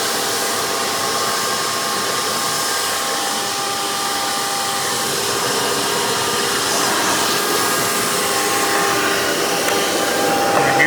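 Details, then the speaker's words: Hoover PowerMax II U5246-940 upright vacuum (2002), direct-air, 12 amp motor with 20-blade fan, after motor work, running on the hose with tools: steady, even high-pitched whoosh with constant airflow hiss, no rattles or surging. Normal running. "Don't expect miracle suction power from this, but because it's direct air, they're known to produce more airflow than suction. But it's actually very good for what it is, especially with that 12 amp motor and the 20 blade fan."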